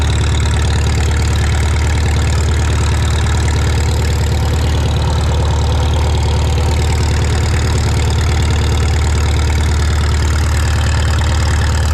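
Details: Shop tractor, either the John Deere 4020 or the Farmall Super M, just started using its choke and throttle levers. It holds an even, low idle thump of about two beats a second with no misses or knocks. Normal idle.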